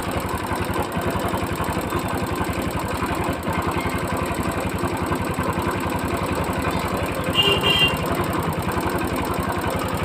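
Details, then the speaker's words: Valve-to-piston contact ticking on a Hero Splendor Plus motorcycle at steady idle: quick, light metallic ticking, nearly four a second, jingling like bangles. The piston is striking the valves. "Piston चकरा रहा है ठीक है वालों में इसीलिए इस तरीके से आवाज करेंगे"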